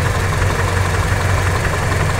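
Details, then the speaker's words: Toyota Kijang after readjusting the ignition distributor, points gap widened and timing back at 8 degrees: even, steady low idle with no misses; engine now runs smoothly. "Nah kita lihat di sini untuk mesin menjadi lebih anteng setelah kita lakukan penyetelan ulangah"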